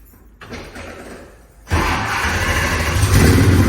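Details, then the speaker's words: 1966 Ford Mustang fastback pro-touring build (KSV 9000) with Trick Flow top end kit and cam, firing up: quiet, then the V8 catches with a solid thump and climbs into a deep, even rumble as revved; strong healthy start. "Trust me, that will get your neighbours' attention."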